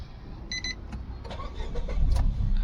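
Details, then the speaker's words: Nissan Micra petrol automatic that cranked but would not start, after fuel pump assembly replacement and clearing fault codes: a couple of chimes, then it catches after a short crank into an even low idle; normal start, check light off. "पहले हमारा engine start नहीं हो रहा था अभी तो engine वगैरह सब स्टार्ट हो गया है"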